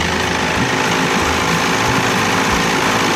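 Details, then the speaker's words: 30 hp Evinrude "Dirty 30" outboard, cold with no thermostat, new throttle cable, still needing tuning: loud, steady, even buzzing idle with no misfires, set a little fast on purpose; runs pretty well. "she still needs you know a little tweaking but the lightning and thunder is gonna run us out of here but she sounds pretty good i like my motor's idle a little a little fast"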